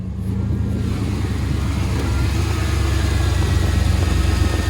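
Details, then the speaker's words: 1993 K1500 V8 running rough and hard starting, just warming up and smelling of gas: low, uneven chug at idle that drifts up and down; rough surging idle; owner suspects the fuel pump, since it won't fire unless primed. "we're gonna try to get this thing home limping home getting home and he just added a little funny other here I was idling up and down"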